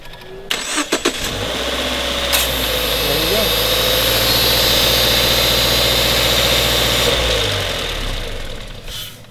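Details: Subaru Impreza jump-started with a Gooloo GP4000 lithium jump starter: short burst of cranking, fires at once, then settles into a smooth, even idle with no knocks or misfires; normal crank, start and idle.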